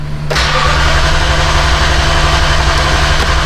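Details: 2015 Toyota Tundra 4.6 V8, 90K miles, towed in as crank no start with no fuel pressure: starter catch then a short, lumpy, unsteady run on sprayed brake cleaner only; no fuel delivery, spark okay.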